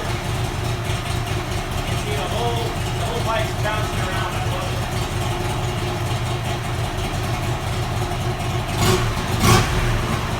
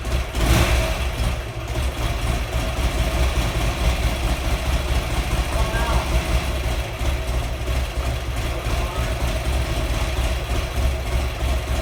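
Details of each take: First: Buell XB12R V-twin after rebuild, about 100 miles since, no check engine or oil pressure lights: deep, even lope at idle with crisp throttle blips, running smooth and steady; normal idle. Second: Buell XB12R V-twin on its first start after rebuild (earlier found water in the engine): heavy, uneven lumpy low thump with no steady rhythm; rough running.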